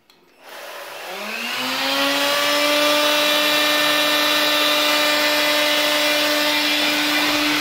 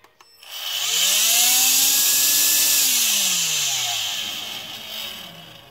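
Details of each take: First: AEG CX7 cordless vacuum motor spinning up to a loud, harsh whine with strong buzzing vibration from a dirty fan impeller; cleaning the impeller reduces the noise. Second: AEG CX7 cordless vacuum motor after cleaning dirt off the fan impeller that made it unbalanced, loud and strongly vibrating: spools up to smooth high whine, holds steady, winds down evenly, fan now balanced and quieter.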